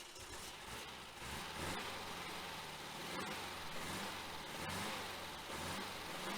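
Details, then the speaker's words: 1966 Volkswagen Type 3 Fastback with freshly rebuilt larger engine, during cam break-in: fast busy air-cooled clatter at raised revs, gently surging but firing evenly with no knocks or misses; healthy, carbs still need tuning. "go wow huh definitely sounds better sounds good does sound good sounds good definitely got a little bit of tuning left on the carbs"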